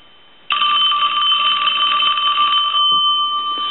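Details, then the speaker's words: Western Electric Princess telephone at initial checkout, bell previously knocked out of adjustment; bright steady metallic ringing with clean even tone, no buzz or rattle; ringer working. "I'm going to go ahead and ring the telephone I'm going to give you a couple of different angles of that I'm going to let it ring one more time"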